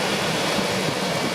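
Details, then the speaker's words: Ford truck with the 5.4 V8 (not the V10), a salvage-auction buy on its first jump-started run: a smooth, quiet, even idle with none of the exhaust-manifold-leak ticking common to these engines; healthy. "Listen to this thing. Yeah! It's pretty quiet for a truck."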